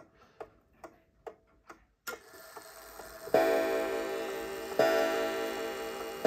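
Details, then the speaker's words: Antique count-wheel kitchen/parlor clock after synchronizing the strike with the hands: light ticking stops, then eleven clear, even bell strikes about one and a half seconds apart with hands at 11 o'clock; strike working normally. "there we go we've got 11 chimes and our hands are pointing at 11 o'clock"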